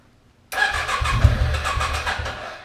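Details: 2006 Can-Am Outlander Max 500 after new AGM battery fixed bad battery and no ECM communication: short crank catches immediately, revs up smoothly and settles evenly; healthy start.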